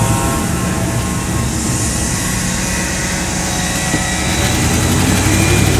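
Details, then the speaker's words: 1979 Dodge 100 carbureted truck driving cold on choke after a choke repair: steady, even, smooth low rumble with no knocks or misses. Choke comes off after about 3-4 minutes once the manifold gets hot. "Actually, it's it runs pretty good. And then I think after about 3 or maybe 3 minutes or 4 minutes or so, once that manifold gets good and hot, the choke comes completely off."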